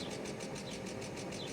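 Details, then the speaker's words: 1998 Mercedes S420 (W140) restarted after a rough run: steady, even idle with no stumble, runs better. Earlier roughness suspected electrical; smooth idle. "Come on. And it runs better."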